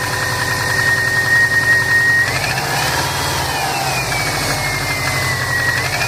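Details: 2005 Saab 9-2X Aero, 119K miles on engine, stage 2 COBB OTS tune, cold start idle: loose, uneven knocking two to three a second under a rising and falling whistle; owner suspects piston slap, data logging shows no knock.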